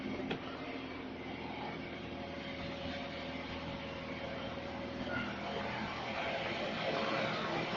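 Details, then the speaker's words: Used Toyota Avanza cold start, RPM rising to about 1,000 or slightly higher; steady, even, linear hum with no knocks, ticks or rubbing; smooth healthy engine, normal cold-start idle. "Tanda-tanda mesin yang sehat adalah sebagai berikut. Saat pertama kali dinyalakan, RPM seharusnya naik hingga 1.000 atau bahkan sedikit lebih tinggi. Dengarkan suara mesinnya; Seharusnya terdengar linear, seperti ini, halus."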